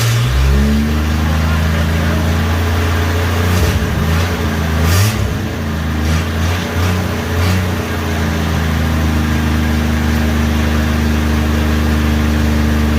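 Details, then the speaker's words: 1963 Rambler first start, no muffler fitted: deep, raw, loud exhaust bark swelling with revs; smoke comes from oil and brake fluid on the exhaust manifold. "no muffler on it either but she's a little on the loud side"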